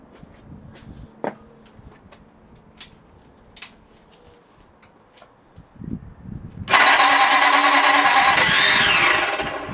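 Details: Ford flathead 8BA race V8 on run stand, first start attempt after crank thread repair and starter fitment; loud rough churning as starter spins engine and stalls, never catches; ignition timing suspected.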